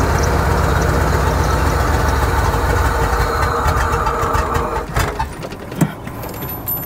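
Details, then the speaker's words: 1995 Ford F-150 that sat for a while, timing just corrected, no power: engine catches and runs with an uneven, stumbling beat, missing regularly, then falls away; dead misfire, one cylinder apparently dead. "that's good yeah it definitely sounds like it's got a misfire like a dead misfire"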